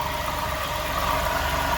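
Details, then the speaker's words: Customer's Jeep idling with a steady rough growl over the engine note; worn water pump bearing, misdiagnosed as a bad alternator. "All right, guys. That don't sound like an alternator, but here's what she got me to put on this car."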